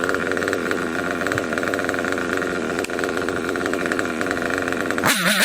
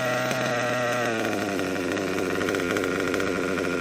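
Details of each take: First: Kyosho KE25 Big Block nitro engine, tank topped up to half, after setting the high-speed needle and before the low-speed needle: high-pitched steady buzz with crisp climbs in pitch on throttle, no cutting out, good smoke trail. Healthy running. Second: Kyosho KE25 Big Block nitro engine, pinch test after leaning low-speed needle slightly: high buzzy idle climbs in pitch when fuel line pinched and stays up; low-speed needle still a little too rich.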